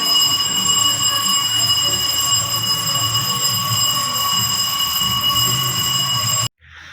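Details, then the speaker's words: Radiante no-frost refrigerator after repair of a damaged thermal fuse, bell wired to the defrost heater leads: steady bell rings about six seconds then stops, draw 0.90; defrost started on its timer, final test passed. "Enciende la campanilla del deshielo. Equipo probado perfectamente. Prueba final, señores."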